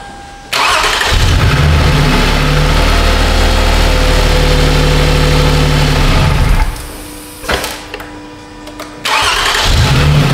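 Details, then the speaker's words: 2007 Toyota Sienna 3.3 with P0340 camshaft sensor code and prior long cranking, after repair: engine catches on first turn, settles into steady even idle, switched off; clean normal start, timing not jumped. "I guess we probably don't need to do anything other than just try to start it if it starts immediately well we know we got it"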